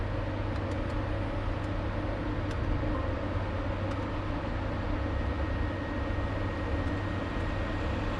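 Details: LS-swapped Nissan 240SX on Holley Terminator X, hub dyno, after restoring idle startup airflow (IAC parked values): low, steady V8 rumble holding an even idle with no hunting or stumbling; acceptable idle.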